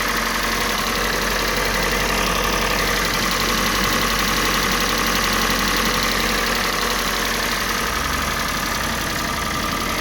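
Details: Kia Sportage 3, G4NA engine, Total HKS 5W30 oil: steady idle with light regular tapping about three per second over engine hum; engine knock, cause not yet clear.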